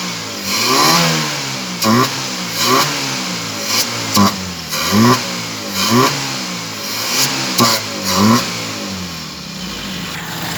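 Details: Toyota small-body carbureted petrol engine that would not start, after fuel was poured into the carburetor and choke applied, now runs and is blipped repeatedly, each rev rising and falling quickly.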